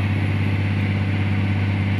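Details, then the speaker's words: Caterpillar 345 excavator diesel under hydraulic load after ECM replacement (error 36-268-2); deep even drone holding steady speed, no hunting, knocks or surges; rpm not dropping to 500–600, power good. "if the rpm has become less around the 500 plus or 600 that means there is a problem on indian power but in this situation now the engine power is a good and"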